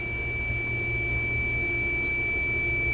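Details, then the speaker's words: Reach-in cooler not cold enough, charge recovered, nitrogen with tracer refrigerant at 211 pressure: steady shrill leak-detector alarm over low room hum; refrigerant leak found at the cold rail, as suspected. "we're just doing a leak check and I have a hunch that there's a leak in the cold rail"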